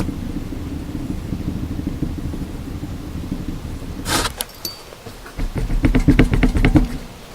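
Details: 1995 Volkswagen Jetta 1.9 turbo diesel, worn-out rear wheel bearing, close-up: rough gravelly rumble with uneven clicks from the bad tapered roller bearing, typical of bad bearings.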